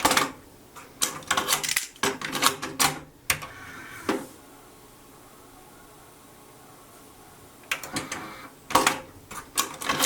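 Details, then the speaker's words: JVC TD-W717 dual cassette deck playing a cassette: sharp, irregular clicks in bursts from the tape transport; the source is unclear, and the deck may be fine. "okay maybe there was actually a let me take my most favorite cassette gar Stak now it also has this clicking noise"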